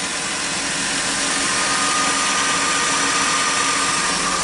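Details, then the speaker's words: 2002 Chrysler Sebring 2.7 V6 after an alternator replacement, battery voltage low: a smooth idle with a steady hiss and none of the earlier whining; no battery light, lights stable, voltage good; the charging system is normal. "And in my previous videos, you would hear that weird whining sound, which I don't"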